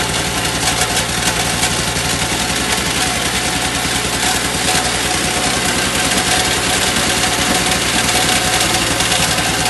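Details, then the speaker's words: Two-stroke electric-start snowblower, primed and choked, new paddles fitted: fast, steady single-cylinder buzz at even speed without surging or dropouts; running and throwing snow better than before. "all right well it's working better than it did before"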